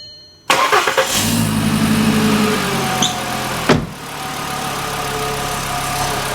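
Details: VW engine being checked for an idle growl linked to the alternator overrunning pulley: it cranks, fires and settles to a steady, even idle with no squeal or rattle from the belt side; it sounds healthy.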